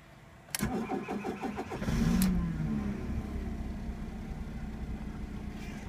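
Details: Fiat Punto MK2: starter churns unevenly for about a second and a half before the engine stumbles, catches and settles into a rough idle; hard starting, long crank.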